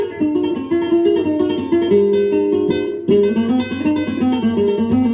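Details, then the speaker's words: Tandberg Series 15 four-track reel-to-reel after repair and service, playing classical guitar music: pitch dead steady with no warble. Transport smooth and even, no wow or flutter. "No wow and flutter. It's perfect."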